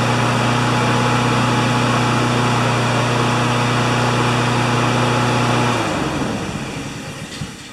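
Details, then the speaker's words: Honda GCV160 walk-behind mower after the governor arm was bent to adjust it (previously ran about 6,000 or 2,000 rpm): a steady, even drone at governed top speed of about 3,589–3,612 rpm by spark-counting tach, no hunting, then a smooth wind-down at shutoff. "it counts the spark instead of the RPM but it's right at 35 89 3601 3612 so that's as good as it gets"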